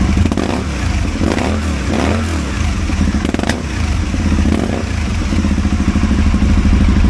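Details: Aprilia Caponord 1000 V-twin idling lumpy and uneven, beats dropping out with irregular stumbles and pops; engine misfire.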